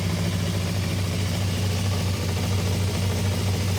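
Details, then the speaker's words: Suzuki motorcycle after idle adjustment knocked revs from about 3,000 to around 1,600 rpm, then up roughly 100: steady, even low idle with smooth firing, no hunting or misfire; throttle possibly a bit sticky. "or 1600. Might just have a little bit more. Not a precise science. Maybe it's come up 100 revs."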